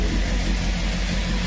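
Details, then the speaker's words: Peugeot 205 GTI after a no-start fault was fixed, cold fast idle holding around 1500 rpm on its own after a couple of throttle blips, even hum with no hunting; the air-bleed idle control is working. "right so you can hear there it's holding revs on its own the initial startup procedure is just give it a couple of blips wait for the diaphragm to um put the air where it needs [Music] to"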